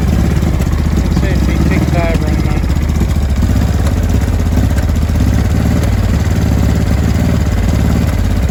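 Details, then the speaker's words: 2005 Honda Deauville NT650V twin just restarted after carburettor refit (vacuum pistons repositioned), cold on full choke: a lumpy, uneven idle with irregular exhaust pops and bangs. No air leak, it is just cold. "as you can hear it's running popping and banging still full choke here at the moment but there's no air leak there's no nothing it's just cold"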